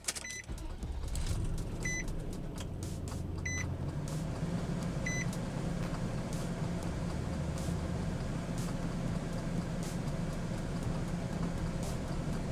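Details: 2004+ Nissan Armada/Titan after a starter and heater control valve replacement: a quick crank, then the engine catches and settles into a steady, even idle with cab chime beeps; the earlier slow start was from air in the fuel lines.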